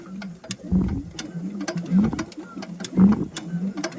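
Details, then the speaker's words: Circa-1926 Ford Model T 20 hp engine, long sitting, turned slowly by hand with a thumb over the spark plug hole: firm puff and resistance about once a second; good compression. "let me roll it and put your thumb on now let's see if there's compression nice that's like ten to one workout program yeah compression compression you can see the whole motor moving in there"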